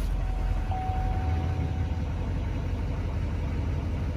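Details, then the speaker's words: Diesel truck at a Copart salvage yard, started after the glow plug light went out and firing right up: a deep, steady idle with an even low rumble and no knocks or misses. Good oil pressure; it runs healthy. "waiting for the glow plug light to drop and fires right up"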